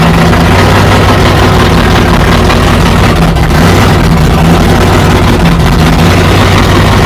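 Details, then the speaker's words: 1969 Plymouth Barracuda 440 V8 idling after the fuel problem was sorted, fuel pressure about 8 psi and plenty of oil pressure: loud, deep, even burble with no knocks or misses; back to normal. "so we've got fuel pump or fuel pressure we got everything so she's back to normal anyway"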